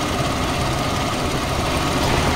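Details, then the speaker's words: Car AC being recharged with refrigerant without a scale, engine idling: a rough crackling rattle comes in as the compressor clutch engages; worn, noisy compressor, so the charge is kept low. "bueno este compresor como le dije también tiene un ruido"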